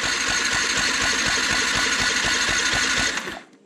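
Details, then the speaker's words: Yamaha MT 125 being revived after a fatal crash: fuel pump heard, starter cranks the engine in an even chug about three times a second but it never fires; no spark at the plug, fuses to be checked next. "cranks but no spark"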